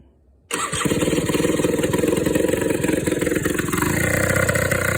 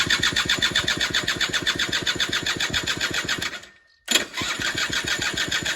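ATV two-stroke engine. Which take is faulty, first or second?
second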